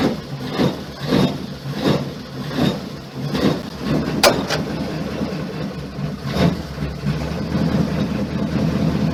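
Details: Flathead engine in a never-restored car (Crusty Flatty project), SU electric fuel pump primed to the carb first: about a dozen slow, even cranking pulses, then it fires around six seconds and settles into a steady idle; the engine starts healthy.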